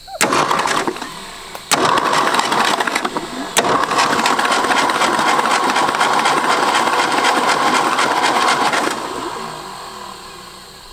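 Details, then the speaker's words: 1965 Ford F250 abandoned 26 years, carb cleaner sprayed in carburetor, cranked by jumper wire instead of key: three cranking bursts, longest about five seconds, rapid even churn near four turns a second, no firing; normal starter cranking. "at least our starter works"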